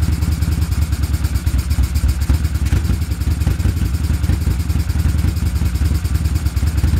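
Lumpy, uneven idle with beats dropping out of the exhaust pulse, as if one cylinder keeps cutting out; the engine is misfiring.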